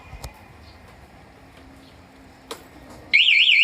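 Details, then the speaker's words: Honda Beat scooter with an aftermarket alarm: a few quiet clicks, then a loud, fast-warbling long siren as the alarm is tampered with, while the engine won't start. "gak mau starter Oke jadi kalau dibobol suaranya itu panjang ya Mas ya"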